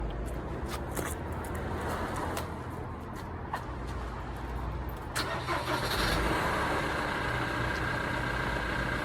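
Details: 2009 Ford Transit Sport diesel van cranks and catches, then idles with an uneven, stumbling beat about three a second instead of running smoothly; engine misfire.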